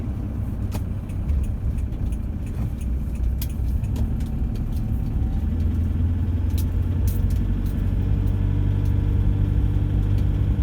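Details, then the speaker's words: Diesel, cold, about one minute after start at 1,500 rpm, light load and 50–60 km/h: a light-load drone with a loose, marble-like rattle over the combustion clatter; cause not pinned down. "all right guys this is that video i promise where i'm going to be quiet the rattle like there's marbles on the piston"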